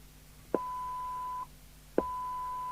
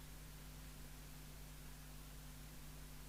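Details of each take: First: 1981 Harvard 420M UK FM CB radio (Cybernet 134 chassis), being serviced after a modification that left it hissing constantly: squelch now opens cleanly with a click, holds a steady tone, then shuts sharply to quiet; normal operation. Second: 1981 Harvard 420M CB27/81 UK FM CB radio (Cybernet 134 chassis) at full volume. A flat, constant hiss with faint mains hum and a click, because the squelch was modified so it never mutes.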